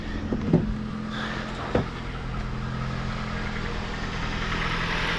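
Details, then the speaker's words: 2007 Jeep Compass after engine replacement, first startup after a really dead battery: steady, even idle with smooth low hum, no shake or misfire, a couple of light clicks early; check engine, ABS, airbag lights on; normal idle. "okay she sounds good she's not shaking no misfires so we'll just have to see what's going on with that"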